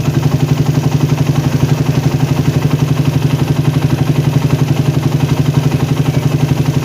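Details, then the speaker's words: Engine fitted with a PWK or PE carburettor, warmed but not fully hot, air screw closed until near stalling then opened slowly until idle rpm rises and stops rising: even, steady idle thumping about four beats a second; mixture set for the most stable idle. "Terus putar pelan-pelan sampai dapat idle paling stabil guys. Kedengeran ya, RPM-nya naik."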